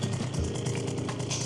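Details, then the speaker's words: Piaggio Typhoon two-stroke scooter during carburettor tuning, idle screw being adjusted: steady, even burble at a moderate idle with no hunting or stumbling; normal idle, speed set to preference. "If you go in, you can hear the revs getting higher and higher, and this is literally just an idle screw. Honestly, it's kind of like your own personal preference where you want the idle. You don't want it too low, you don't want it too high."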